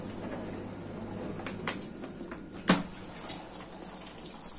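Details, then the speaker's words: Dishwasher after its circulation pump motor was replaced because it tripped the fuse, in the water-intake phase following draining: quiet running with water trickling in and light clicks, no strain or grinding. Normal fill. "是的，他们开始现在去取水。这个进水时间因机器而异，机器上有不同的电子计数器，机器上有机械开关，可能会有所不同"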